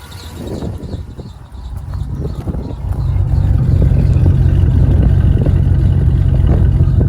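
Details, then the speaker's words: 2004 Chevrolet Silverado 4.8 V8 just after Amazon stage 2 cam swap, first start, untuned: lumpy, uneven loping big-cam idle; faint squeak from bad idler pulley needing replacement, coolant low; otherwise running fine. "As you can hear, we got it running. The idler pulley needs to be replaced. I already got one ordered."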